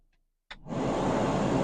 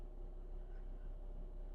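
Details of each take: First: 2009 VW Jetta TDI SportWagen: a click, then a steady rushing roar of air at full blast; blower fan works only on high (setting four), not lower speeds, from a failed blower motor resistor under the kick panel. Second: 2009 VW Jetta TDI SportWagen blower fan after replacing the blower motor resistor (before, it only worked on high), run through settings four to one: smooth, steady rush of air with no rattle or squeal; blower now works normally.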